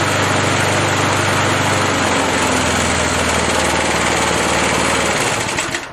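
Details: 37-year-old Montgomery Ward mower, Briggs & Stratton 3.0 hp 92502 Vacu-Jet carb, new choke diaphragm for hard hot starting: steady, even buzz at half throttle after hot restart, no misses or surging; fixed.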